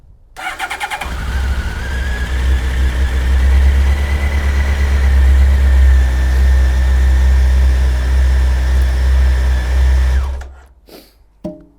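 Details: Honda Blackbird CBR1100XX motorcycle that wasn't running right, after fuel rail feed fitting repair: cranks briefly, catches and settles into a smooth, steady idle for several seconds; no knocks, runs normally.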